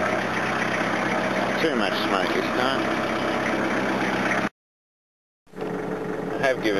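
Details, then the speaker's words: Diesel car idling cold after a cold night: a rough, uneven, stumbling beat, as if one cylinder is misfiring. It blows heavy smoke when accelerated; the owner suspects over-fuelling in that cylinder and is dosing a fuel additive. Cause unconfirmed. "it's not the happiest here it's a bit misfirey i'm good now just feels like it's over fueling in the cylinder"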